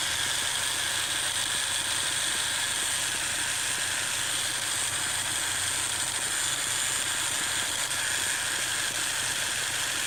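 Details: 2017 Ford Focus RS idling with a strange thin, high buzz that wavers and skips in and out; cause unknown.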